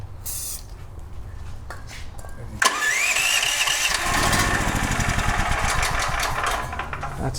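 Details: DuroMax XP13000HXT tri-fuel generator that runs on propane but not gasoline, oil topped up after being severely low: the starter cranks and it fires briefly on starting fluid, runs ragged and dies. Bad gas or water in the carb is suspected.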